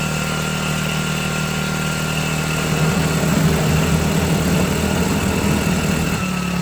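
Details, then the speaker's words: Cheap China-made 4-stroke outboard on first water test in a bucket, idling during break-in before first oil and gear lube change; small four-stroke putters at a steady idle with an even beat and water splashing, running smoothly, normal idle. "So I'm gonna let it run on idle, and we're gonna break in the engine here."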